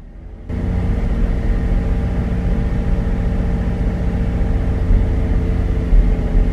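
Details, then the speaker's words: Chevrolet Traverse held at a steady 1500 rpm: uneven, irregular pops and stumbles heard at the tailpipe, engine hesitating; scanner counted 14 misfires, cylinder 4 suspected. "right at 15 i'm getting lots of pops you can hear them out the back side you can kind of feel them in the engine where it just hesitates a little bit"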